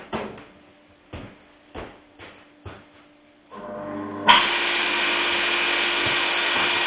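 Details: Motor for rotoverter experiments, run unloaded on 3-phase in star mode on a homemade mount and drawing about 185W: a few clicks, then a loud, steady hiss and an even hum. It is unusually noisy.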